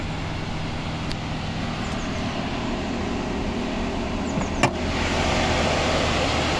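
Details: Hyundai Ioniq EV charging at a 7 kW point with the hood open: a steady, loud whooshing roar with a low hum and no engine, felt in the steering wheel. The fan and radiator run at max to cool the onboard charger, and it stopped when charging stopped.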